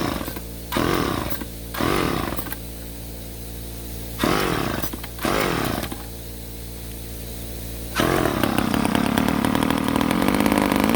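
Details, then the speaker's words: Ohlsson & Rice chainsaw sat 20+ years: short revving bursts die back repeatedly, then a ragged run; small fuel orifice keeps plugging, owner suspects tank pickup line gummed from years of sitting, fuel starvation. "focusing on that that little orifice keeps getting plugged up I imagine there's a line that goes into the bottom of the tank that has just gummed up something fierce from the years of sitting around and it keeps getting plugged up quickly"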